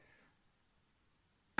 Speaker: this primary mirror is knocking against the Fred insert there so you can hear it it's it's not very good at all